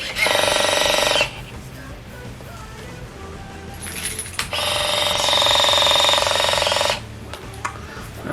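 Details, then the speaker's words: Canon Sure Shot A1 film camera, where water may have got in past a lifted battery cell: a thin high whir in two bursts with no film-advance clunk. The motor runs but film doesn't advance; owner unsure whether it's the battery or a damaged motor. "don't know if that's just the battery running through or the motor's going on it, but either way, I'm going to go change the battery, see if that solves the problem."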